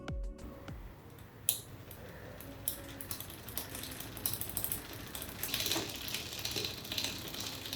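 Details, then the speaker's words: Bicycle rear derailleur shifted to the second-last position while pedalling: uneven light ticking and metallic rasping of chain rub on the next cog because cable tension is too low. "but it doesn't you just hear chain rub which means we need to increase the cable tension by turning the barrel counterclockwise"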